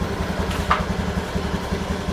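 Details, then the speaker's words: Honda Beat scooter that needed kick-starting every morning, after reviving its weak dry battery, starts on one press of the electric starter and ticks over with an even low putter, no misses or knocks; normal idle. "Ternyata sekali pencet motor hidup kembali dengan normal, alias trik ini berhasil."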